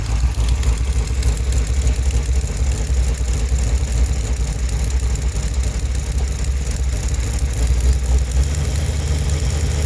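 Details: 1971 Chevrolet Cheyenne, factory 454 big-block on Jegs Bandit EFI, first start: heavy V8 idle with light uneven chuffing ticks from a bad exhaust header leak at number two cylinder.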